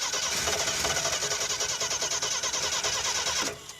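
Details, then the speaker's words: AMC Pacer with a Holley Sniper 2-barrel EFI kit, battery disconnected repeatedly: steady starter cranking at about three beats a second, never firing; crank no-start with no fuel, since the fuel pump is not running, and it may be out of gas. "Yeah, it's got no fuel. Let's try some other switches. Well, the fuel pump, Should just run. it should just run. It should not have its own separate switch."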